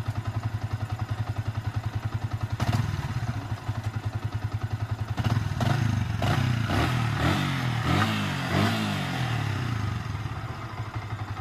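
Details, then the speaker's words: Yamaha Vixion motorcycle engine after rebuild with replaced balancer bearing, rough noise fixed: even steady idle putter, then clean throttle blips rising and settling smoothly, all gears 1–5 checked normal; healthy running. "dan untuk suara mesinnya teman-teman bisa bedakan pertama dan yang sekarang Seperti apa"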